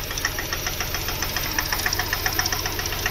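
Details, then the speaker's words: VW Polo 1.2 with engine rebuilt elsewhere using aftermarket piston and gasket, timing and injectors corrected, won't idle properly off throttle: sharp metallic ticks three–four a second over idle; head/piston, thin gas kit or valve suspected, unconfirmed; engine knock. "तो friends इसमें जो हमारे मिस्त्री भाई ने piston डाला हुआ है और गास्केट वो आफ्टर मार्केट डाला हुआ है तो फ्रेंड्स इसके हेड में या पिस्टन के जो ठोकर में होता है उसमें दिक्कत"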